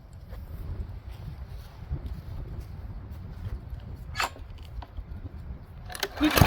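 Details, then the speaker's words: Powersmart 170cc lawnmower (hard to pull) after valve adjustment and governor tab bent to raise speed from 2900 to 3100 rpm: steady even drone at governed speed with no surging; running normally. "all right so just a really minor um adjustment on that actually brought up to 3100 RPMs and I know that's suitable for some lawnmowers and I'm thinking it's suitable for this one"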